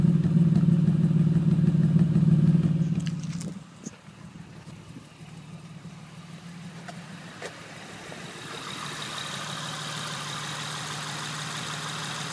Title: 2006 Honda Accord v6 misfiring